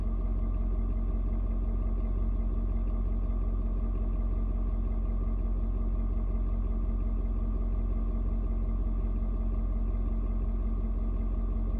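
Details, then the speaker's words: Ford Super Duty 6.7 diesel, cold start at 56°F, settled after adjusting its fuel mix to the temperature. A steady, even low rumble of about 167 beats per minute with no knocks or misses. Normal cold diesel idle. "you can hear the truck engine kind of doing different tones what it's doing is it is reading and figuring out temperature outside it's trying to figure out you know um how much fuel to mix with the air so it's found it's uh it's point where it needs to be that's why kind of mellowed out a little bit now"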